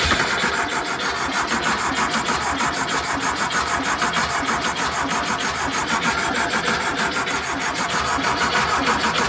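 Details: 1973 VW Thing with swapped VW Beetle engine, restart after fuel pump replacement: steady rhythmic cranking about three turns a second for several seconds without firing; turns over but won't start, cause not confirmed.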